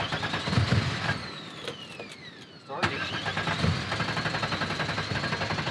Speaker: that's because the fuel pump is unplugged because it's flooded so now it'll start